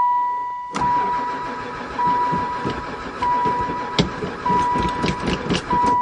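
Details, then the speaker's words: 2002 van that sat about 4 years, cranking after adding gas. Uneven cranking bursts under a steady warning chime, never fires; owner suspects no spark. "still no go um I'll dump a bit more gas in why a the oil light working try number three"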